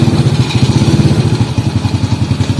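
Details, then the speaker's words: Honda Supra X motorbike, automatic clutch after adjustment: even single-cylinder thump picks up smoothly pulling off in first gear, no slipping or judder; clutch engages normally. "jadi itu secara normal seperti itu ya cara menyetel kopling otomatis"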